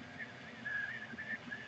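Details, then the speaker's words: Anycubic Chiron 3D printer (400x400x450 mm bed) while printing: light, high, intermittent chirping squeak as the carriages move. Seems to come from the dry top pulleys, which may need a drop of oil. "pulleys up top of what they're squeaking it may have to give them a little drop of oil that seems to be where the squeak is coming from"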